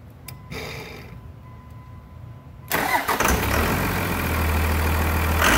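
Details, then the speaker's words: 1999 Cummins diesel after a new Thoroughbred Diesel injection pump, injector lines bled, on a frigid winter day; cranks a few seconds, catches cleanly and settles into an even, steady idle clatter, idling normally. "all right there she sounds pretty good thanks pete i'll let her run for just a little bit then we'll shut her off"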